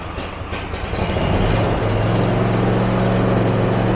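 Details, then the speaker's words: John Deere zero-turn mower after carburetor cleaning for idle surge/hunting: rough catch then steady, even low drone holding pitch with no surging; normal idle. "Well, that certainly sounds better."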